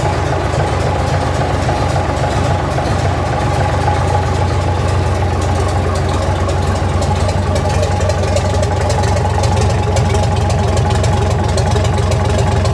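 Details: 1965 Gardner 6LXB 180 marine six-cylinder diesel on test stand after rebuild (it had failed 80 hours after a previous overhaul): deep, steady idle beat with even rhythm, no knocks or misses; healthy idle.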